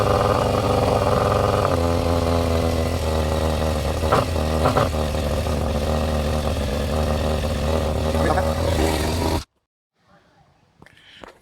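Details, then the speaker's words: Yamaha Fazer 600 four-cylinder, first start after carbs cleaned and refitted dry: fires and holds a steady, smooth run for about nine seconds with light blips and clean pickup; normal running. "get that prime going sounds like it's working"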